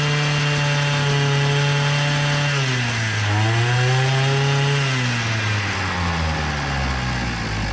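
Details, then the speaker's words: Hyundai two-stroke brush cutter before repair: low, uneven drone, sagging and hunting, cannot reach full revs and head spins slowly; fuel-soaked air filter. "Vay vay vay motor devri düşük Bu sebeple devirdi çukurun Galata maçı yormuyor kafa o sebeple dönüyor"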